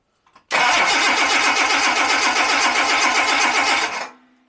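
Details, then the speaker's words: Jaguar XJ6 Series 3, warm after a short drive, fuel pump relay disconnected before replacing fuel hoses: even starter cranking with no catch, emptying the fuel rail pressure. "let me crank it over might start might not start but at least we'll empty out any fuel pressure that's in the rail all right so let's see and it should be pretty dead now with no fuel"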